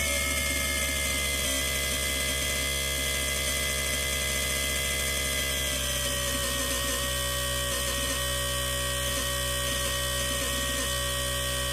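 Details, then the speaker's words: BOMA inrunner motor freewheeling at maximum rpm on 72 V, with added heatsinks and not getting hot: a steady high whine with an uneven stutter underneath that comes and goes, apparently not rpm-related. Origin unknown. "you hear the regular motor tone and there's that other sound underneath it right there you can really hear"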